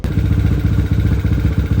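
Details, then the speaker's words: Yamaha LC135 (spek 63) first start after rebuild with carburetor refitted, head installed and exhaust pipe mounted, before ignition timing is set: an even single-cylinder idle with a steady rapid beat, no knocks or rattles. The engine sounds healthy. "Okey, alhamdulillah motor dah siap. Dah siap hidup. Alhamdulillah tak ada bunyi apa-apa. Semua cun-cun."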